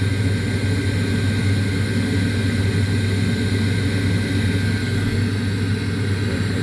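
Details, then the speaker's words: 1989 Carrier furnace, about 30 years old, after a 1-3 flash code and a bumped limit switch that closed: steady low hum builds and holds, no stumbles or rattles; igniter lights, fan turns on, normal startup. "igniter so i think we should be good to go yeah turning on and off make sure that fan turned on"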